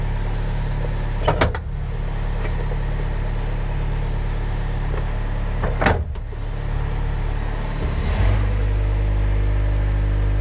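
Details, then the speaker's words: Mustang machine's diesel engine after the seatbelt micro safety switch was bypassed (seatbelt refitted but unplugged): even, steady low drone with a few brief machine clunks, running smoothly. Not a perfect fix, but it works. Normal running. "not a perfect fix but it works and the safety features are still mostly here"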